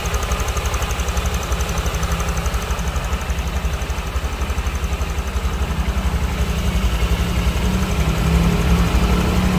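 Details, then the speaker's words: Honda Vario scooter idling after replacing the cam chain tensioner, throttle body refitted: steady, even low putter with no rattle or clatter; engine now sounds smoother and quieter, engine teardown seemingly not needed. "dan ini kita coba dan teman-teman bisa dengarkan untuk ee suaranya ya setelah diganti untuk pensionernya lebih adem"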